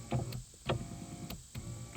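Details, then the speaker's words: 1997-2002 Saturn SL2 (2000), driver's rear window stuck down: motor whirs in short bursts with a clicking tick while the glass stays put; motor spins but glass doesn't move, regulator suspected, not confirmed. "So it's like trying to do something. It's spinning. So I definitely feel like we've got like a regulator issue back here."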